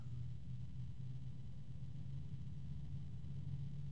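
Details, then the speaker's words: DeepCool UF140-X / SF140 PWM fan spinning up to maximum: quiet low hum with two low discordant tones at once plus a possible harmonic resonance; rotational fan tonal noise. "I hear two different tones at the same time both are fairly low I hear another tone that sounds like it could be a harmonic resonance"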